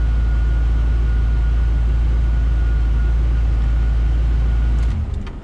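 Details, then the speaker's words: C4 Corvette idling after alternator replacement: steady even low rumble, no supercharger-like whine, tach no longer bouncing 1000–3000 rpm, then clean shutoff; normal idle, fault fixed. "lit right up voltage and the noise is gone doesn't sound like a supercharger under the engine anymore"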